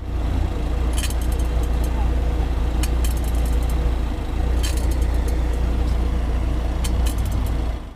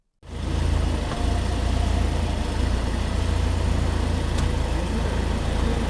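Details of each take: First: New BMW 5 Series sedan, just delivered: brief coin-like metallic clinks over low idle rumble whenever shifting between D, 2 and P, suspected faulty driveshaft. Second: BMW 5 Series in dealership showroom, stationary, shifting through gears: steady, even idle with low smooth hum and only a light shift sound, no knock or buzz; normal gear engagement, unlike new cars with suspected driveshaft noise.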